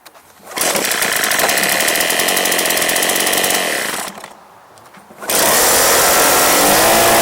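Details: Echo PB265LN backpack blower, free junk unit fitted with new recoil/pull cord assembly, primed: two-stroke buzzes up to steady high rev, drops back briefly, then holds strong even note; runs fine.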